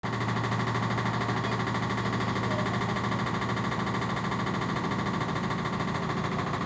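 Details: LG 1007 SNW 7 kg washing machine: constant loud rumbling hum with coarse, rough vibration, drum shaking heavily; horrible sound and vibration, recurring after going away while others were present; cause unknown.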